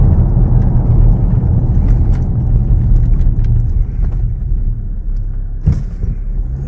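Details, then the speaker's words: Datsun after a noisy-differential repair with brand new diff oil, on a road test: only low road rumble, no whine or clunk rising with speed from the rear axle; the diff is now quiet. "Had brand new oil in the diff, so that's now too. Well, there you go, he's done. He should be happy with that. Hey, Henry. Laughing. No noise there, better see if the brakes work."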